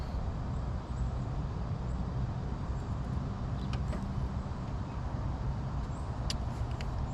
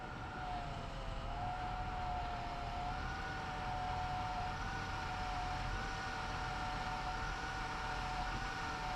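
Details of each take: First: 1996 Chevy Lumina power steering pump, noisy before, after adding Bar's Leak power steering repair: steady low engine rumble with no whine or groan while turning the wheel; steering now quiet. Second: 1996 Chevy Lumina, cold: a steady mid-pitched whine over the engine that shifts slightly as the wheel turns. It is from the power steering pump and is less bad than before.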